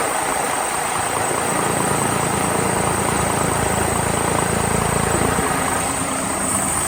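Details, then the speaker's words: DAF CF85 HGV diesel at idle after fixing a compressor-like noise. Steady, even low chug with no knock or rattle; the noise is gone, with a slight exhaust blow remaining. "well we ain't got that noise anymore got bit of an exhaust BL"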